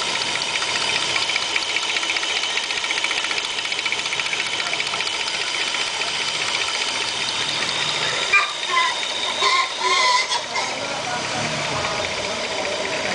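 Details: Opel Omega 2.5 V6 petrol engine at idle with the oil filler cap off: a fast, light ticking over a thin, hissy note, with mild crankcase smoke. The ticking is barely audible with the cap on, and no oil or water is being used.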